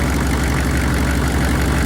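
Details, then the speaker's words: Chevy 6.5 V8 turbo diesel that sat dead for 5 years, now running with a makeshift fuel pump power wire after the pump had no power: steady low rumble with even idle clatter, no misses or surging. "Anywho, she fucking runs. That's all that matters."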